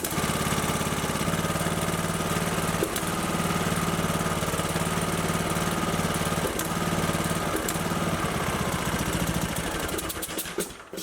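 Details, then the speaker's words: Briggs & Stratton 19.5 hp OHV engine on a Craftsman LT2000 mower: uneven chug at fast idle with a loose, lumpy beat, then dies; hard starting, low compression, oil-soaked plug and oil-coated engine from crankcase pressure point to a blown head gasket. "now what's interesting the engine will start right now but it's just not running right so we will take things apart here shortly"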